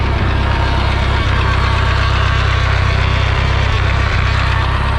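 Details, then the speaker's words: 1952 Ford 8N tractor in forward gear; deep steady drone with an even throb about four times a second, seeming to come from the PTO area, much reduced with clutch in and gone in reverse, louder in fourth at speed; transmission noise, cause unconfirmed. "So it only does it when you're in the forward gears, and if you're in fourth gear driving really fast, it definitely makes the noise a lot louder."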